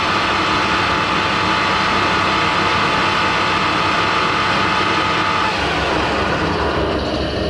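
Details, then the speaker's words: Harrison L6 12-inch lathe headstock after clutch repairs with springs added between the clutch plates: steady, smooth hum with light oil splash on the cover and no rattle or knocking; normal quiet headstock running. "super impressed so the clutch works it sounds miles better than it did before especially now i've put the springs on between the clutch plates it's really quietened it down it's not making a hideous noise anymore"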